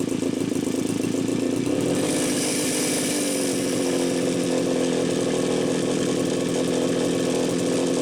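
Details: Super XL-925 chainsaw final test run after repair: steady, even two-stroke buzz climbing smoothly to a higher pitch and holding, running cleanly with no misfire.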